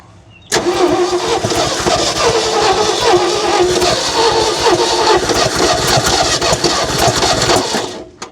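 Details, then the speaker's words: 1970 Ford F600 dump truck, off the road for years, restarted on old fuel in the fuel pump: steady cranking turning into uneven catching and running for several seconds, then fading; hard starting after long cranking. "She wants to run again. There must have still been some fuel left in that fuel pump."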